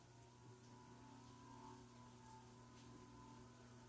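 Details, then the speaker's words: c.1974 SMC/Wilcorp industrial/commercial ceiling fan on solid-state speed control at low speed, around 0.29 on the meter: low steady electrical hum with faint even tone, no rubbing or rattle; audible but not loud, probably living room quiet. "I hear it though. But it's not that loud and annoying. No, probably living room quiet at least"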